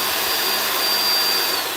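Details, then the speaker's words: Bissell 2X vacuum being checked for no suction, motor base tested alone with brush spinning: steady high airy motor roar, even pitch, no pulsing or choking; suction normal at the main base. "The first part is done. Suction is at the main base of the machine."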